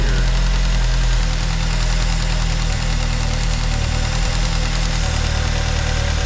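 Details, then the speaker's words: 2009 Ford Fusion 2.3L at idle: steady low idle with constant airy hiss and slightly uneven beat; vacuum leak found with brake cleaner at faulty intake runner control, explaining MAP and O2 codes; manifold needs replacing. "it's almost like a hear a vacuum leak let me grab a can of kind a brake cleaner okay so that definitely sounds like it's going"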